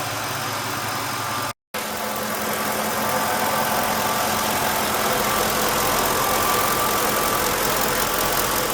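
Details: 2007 Ford F150 5.4 3V V8 after ticking noise was fixed: steady even idle, smooth consistent beat, no ticking; valvetrain quiet and healthy.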